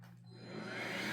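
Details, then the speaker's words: Roomie Tec (Roomie Vac Elite) cordless vacuum after wire repair, wand plug inserted reversed: motor spins up to a steady whir but power head/beater bar not running, no brush roll noise; flipping the plug fixes it. "okay so my vacuum is on but my power head's not working so I've obviously got that reversed right"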